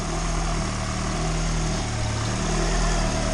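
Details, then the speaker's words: Turbo Honda engine in EG hatch, freshly installed, warming up for first heat cycle; steady even idle, no knocks, misses or stumbles; no visible leaks, slight audible vacuum leak suspected at a rear vacuum line. "Now I'm just going to let it warm up and give it a heat cycle."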